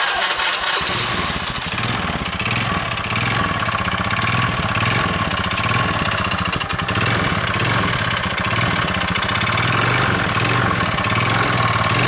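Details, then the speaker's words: Old carbureted Honda Beat scooter, engine rebuilt five months ago, noisy, weak, white smoke, high fuel use: harsh rattly clatter following engine speed, also crankshaft/conrod noise; piston slap, mechanic says full rebuild needed. "dan yang paling parah Ini suara pistonnya saya yakin pistonnya ini bahwa plak makanya suara ibunya kasar"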